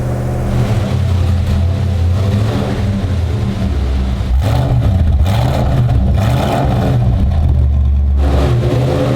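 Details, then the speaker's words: Mild 340 V8 with a Holley carburetor, running cold: a deep, even burble with smooth throttle blips and no knocks or ticks. Oil pressure is 70 psi cold at 2,000 rpm; the engine sounds healthy. "here's our oil pressure cold 70 pounds at 2,000 rpm we've got a mild 340 here"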